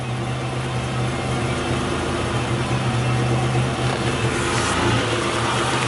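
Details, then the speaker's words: 1984 Buick Grand National V6 with sequential fuel injection, 65,000 on the clock: uneven, lumpy, choppy idle with an irregular pulse over a low hum; said to worsen when warm; injectors gone bad from sitting are suspected, not confirmed. "it's you know it's kind of running a little rough but apparently when it warms up it's even worse"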